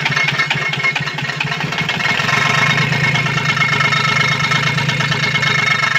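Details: Komatsu PC-20 excavator, 3D84 diesel, with low power, black smoke and hard starting. Uneven, lumpy idle with irregular firing pulses and a hard clatter on top; faulty injector nozzles.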